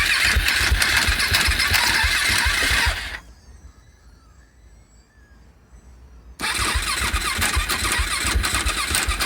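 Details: 2014 KTM SMC R cranking: harsh, fast rattling chatter about four per second, pause, then again, engine never catches; noise worsened over time until no start, owner first suspected the starter bendix but thinks it ruled out.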